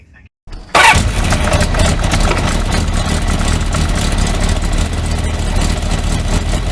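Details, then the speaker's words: Kawasaki four-cylinder motorcycle after head gasket torqued to 24 Nm, test run: catches quickly then idles lumpy with one pulse dropping out; single cylinder not firing, owner suspects ignition leads disturbed when coils were removed. "na hát nem nem megy mind a négy henger mindig azt kell nézni hogy mihez nyúltam utoljára mert előtte meg ment mind a négy most meg nem megy mind a négy"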